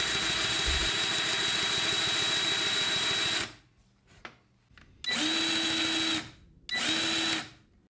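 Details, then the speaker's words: Milwaukee M18 cordless grease gun running with an empty grease cartridge and the grease needle removed: a steady high motor whine runs unloaded for a few seconds, then comes in short bursts, with no grease pumping. "here's what it sounds like when it's empty"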